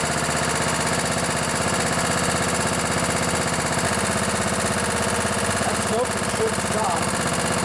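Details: Craftsman LT1000 riding mower with 16 hp Kohler Command OHV engine, barn find, running after a carburettor clean: even, steady firing at a constant idle with no misses or knocks. It runs smoothly, smoking a little after long storage.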